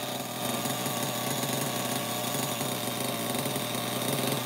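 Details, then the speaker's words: Losi XXL nitro RC engine, slightly warmed, with compression worsening: a fast buzz with a rattly metallic clanking; the owner suspects the rod is hitting the crankcase or something is worn and thinks it needs a rebuild. "yeah the sound is weird I know it sounds like some kind of metal metal clanking it's possible that like the rod inside is hitting the side of the crankcase or like something is worn"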